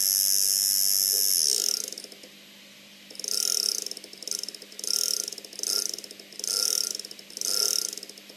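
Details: Loud laptop fan before bearing repair: high, raspy whirring swelling and fading about once a second with creaky chatter; worn fan bearings suspected, not confirmed.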